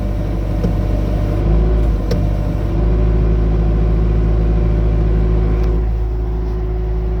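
Loader engine rumbles steadily while a thin, constant hum-like tone joins in partway through; something in the turning drive is making noise.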